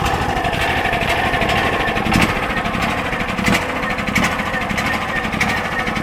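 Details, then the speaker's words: DuroMax XP10000E 10000-watt generator fitted with a tri-fuel kit: a steady drone easing down to a lower, even idle with no load, the economy idle control working normally. "as you can hear, that's the idle control. It idles it down when the electricity is not in use."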